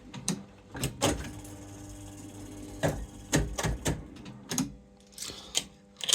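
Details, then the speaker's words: Accumulator slot machine after solenoid replacement: scattered sharp mechanical clicks; the lockout bar gives only a weak, gentle tap instead of a strong click. "The lockout bar doesn't have a strong click. It's like it's very weak. It's just a like gentle tap."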